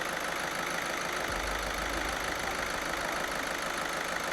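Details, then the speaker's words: VAG 1.6 TDI Skoda, about 180,000 miles, after replacing faulty reconditioned injectors: steady, even diesel idle with a soft uniform clatter and no knocking; smooth and healthy, night and day from before. "Night and day, mate. 100%. Night and day. No knocking noise. You can't hear anything knocking, but smooth as anything."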